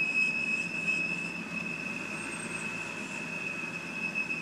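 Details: 2007 BMW 328i automatic, intermittent teapot-like high whistle at idle with rpm fluttering 600–700, stalls when stopping; suspected valve cover, brake booster, vacuum lines or crankcase vent valve, unconfirmed. Steady piercing whistle over low idle hiss.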